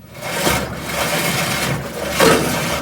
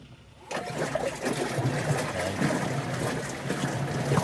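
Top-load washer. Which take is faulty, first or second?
first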